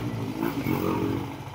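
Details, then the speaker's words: Nmax v2 after engine refresh, tensioner replaced, previously noisy engine: brief light throttle blip, pitch rising and falling smoothly with no knock or scraping; the old noise is gone. "Wala na yung ingay niya."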